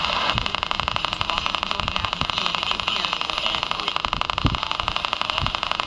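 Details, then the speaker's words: Circa 1946–47 Arvin 4-tube metal-cased midget AM radio during repair, tuned near the high end of the dial in the afternoon; steady hiss and hum with a fast buzzing pulse about four per second, interference of unknown source, not the phone or camera. "I don't know where that interference is coming from it's not the phone it's a camera nope it's not the camera"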